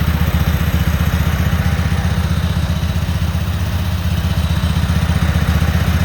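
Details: Cub Cadet Super 2284 lawn tractor with electrical issues, very dirty, missing bolts, rear cover off. On a test fire the engine idles steadily with even thumping at about four pulses a second and no misses or stumbles, running cleanly.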